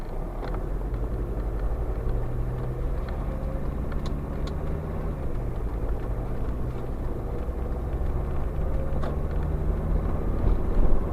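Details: SsangYong Musso 2.9 diesel idling: loose, irregular tapping mixed into the clatter, with a few sharper ticks standing out. Engine knock of unknown cause.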